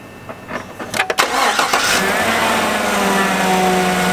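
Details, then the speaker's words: 2014-2019 Chevy Silverado/GMC Sierra whose coolant temp read stuck at 160 with the fan running continuously; new coolant temperature sensor fitted. Brief start-up, then a loud steady whooshing roar over idle: radiator fan still running high. "okay guys you can hear the fan is running very high let's see what we got"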